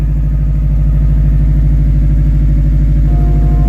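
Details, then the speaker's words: 2012 Subaru WRX at about 100,000 miles, morning cold start at idle: a deep, steady rumble with an even lumpy beat of about three pulses a second; normal cold start idle, engine sounds healthy. "morning cold start I love that Rumble"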